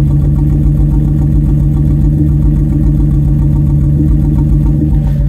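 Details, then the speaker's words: 2002 Ford Excursion V10 with a failed cylinder 6 ignition coil (misfire codes; fault followed the coil when swapped): heard at the exhaust, a low lumpy idle, smooth then rough, with small irregular pops like an exhaust leak. "there's this almost like a it's an uneven sound to the idle it's almost like a little pop almost sounds like a an exhaust leak but I can feel it just sitting in the vehicle"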